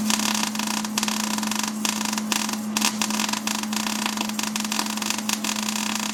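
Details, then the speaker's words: MIG welder set for about 22 gauge sheet while welding 1/4 in plate: sputtering, uneven crackle with gaps and pops instead of a steady sizzle; wire feed speed too low to give enough amperage to penetrate. "okay you guys heard how that sounded it didn't sound good I basically have this setting for for about a 22 gauge uh thickness of material and you can see this is4 in material that I'm welding on"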